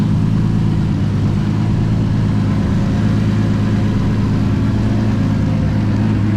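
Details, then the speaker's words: Toyota Supra just after fuel system upgrade (triple pump hanger, relays, new fuel line, about 40 psi fuel pressure); smooth steady low idle with no misses, ticks or hunting; idling normally. "all right guys had the car idling so far so good"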